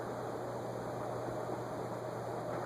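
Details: Vintage Calcutta/TPI/Sunbeam ornate ceiling fan with GE motor on internal solid-state control, high speed drawing about 1.4 A: smooth even airy whoosh over low steady motor hum, no ticking, rubbing or wobble; normal running.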